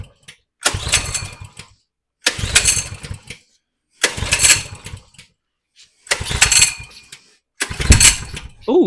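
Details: 2020 Coleman 100cc minibike that was tipped over and lost its oil: five pulls, each giving a second or so of sputtering that dies away after it was flooded with too much fuel (slight hydrolock); it catches briefly but won't keep running.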